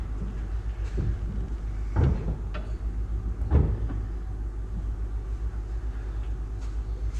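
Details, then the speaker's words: 1967 Plymouth Valiant starting after reassembly, carburetor just set, cranked beforehand to build oil pressure: even low idle rumble with a couple of dull thumps, no knocking or ticking; engine runs quietly, though it still needs a tune-up. "So as you notice, gang, there was no noise there when Jake started the engine, and that's because we cranked it to build oil pressure before we started."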